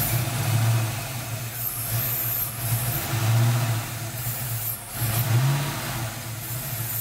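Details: Ford 302 V8 idling with a lumpy, wandering beat, speed dipping and recovering every couple of seconds; rough idle began after upper intake was removed to replace valve covers, cause unknown.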